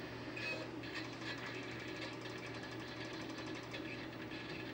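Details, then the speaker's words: Imation SuperDisk drive reading an installation diskette: a harsh, rapid chattering grind repeats over a low motor hum as it tries to read. It sounds like something is broken; cause unconfirmed. "Sounds awful. Sounds like something is broken."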